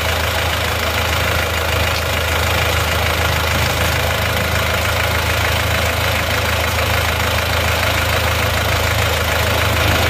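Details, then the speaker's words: Rebuilt diesel engine, now with thermostat fitted, at idle: steady even clatter, no misses or knocks, no exhaust or crankcase smoke; normal healthy idle after repair. "asap knenapotnya nihil enggak ada asap ya sudah normal kan jadi kondisi stasionnya dia tidak kelihatan mengeluarkan asap"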